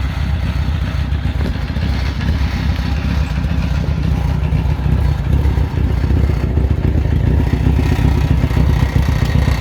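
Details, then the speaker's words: 1976 Kawasaki Z900 just after a cold start at about 30°C ambient, idling with a loud, uneven metallic clatter that the owner says is much worse than usual; source unknown. "you can really hear that rattle there it's really bad it's not usually this bad"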